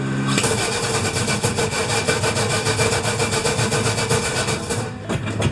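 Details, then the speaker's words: Crosley engine, dead cold, after spacing the starter about half an inch toward the flywheel: steady, even cranking about three and a half turns a second with no grinding, where before it ground or spun and often wouldn't start; fixed. "what I mean by that is when I would hit the starter before what I would get is an awful grinding noise and very often it wouldn't start at all now it cranks over nicely"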